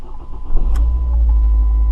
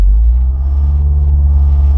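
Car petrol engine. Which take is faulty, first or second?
second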